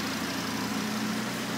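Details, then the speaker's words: Audi RS3 with a fully forged 2.5 L engine built for over 800 bhp, first running after part delays: a steady, even idle with a constant low drone and no knocks, ticks or hunting. It runs very smooth. "here we have the daza 2.5 L RS3 engine up and running definitely definitely a great feeling man and as you can see from the engine it's running very very smooth perfectly fine"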